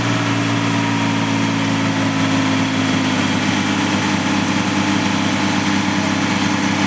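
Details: Petrol engine at idle with an uneven, lumpy beat and faint stumbles, a misfire with erratic idle on a PGT-ZE; owner wonders about a vacuum leak, cause not found.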